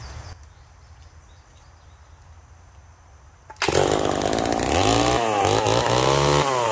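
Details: McCulloch Pro Mac 1010 chainsaw with a freshly sharpened chain. After quiet, it snaps to full throttle and holds a crisp, steady scream in the cut, dipping slightly with load. It cuts well now, running strong.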